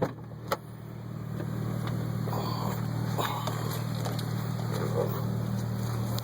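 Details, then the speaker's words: 2002 Acura RSX Type-S with K24A2 Accord engine swap (chassis about 167k, engine about 55k miles), Injen cold air intake, new clutch and lightened flywheel, cruising: smooth steady low drone, quiet exhaust, no knocks or surges; normal running. "Run smooth. You can barely hear the exhaust when you're cruising, which is good. It's not like a normal compact exhaust that's so loud you can't hear yourself think."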